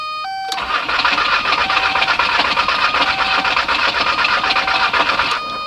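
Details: 1998 VW Jetta TDI AHU turbo diesel with freshly rebuilt injection pump, cranked after glow plug cycle: steady starter cranking about four beats a second for five seconds, never fires; cranks but won't start.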